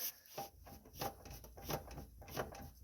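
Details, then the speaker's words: 2011 Toyota Prius, front lifted, wheel rocked by hand two days after ATF-WS fluid change: quiet scraping rub swelling about every two-thirds of a second from transmission area, both sides, not heard driving; source undetermined. "But I hear some weird noise when I lift the car just the front and try to turn the tire. Like what is this noise? This noise seem to be coming from the transmission area."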